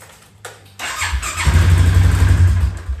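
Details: Polaris 570 ATV that had only clicked on starting, after starter motor work (relay ruled out), reassembled: brief starter whir, engine catches within about a second and settles into a steady low thrum; clean, normal start.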